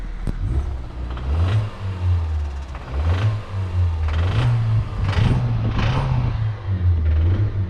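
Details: Kia at 61,705 miles, cold, just after a 450-mile round trip, oil changed about 1,000–1,500 miles earlier, no engine lights: short revs with a heavy clattering knock on each rev, worse under load; a spun rod bearing, and the engine was replaced under warranty.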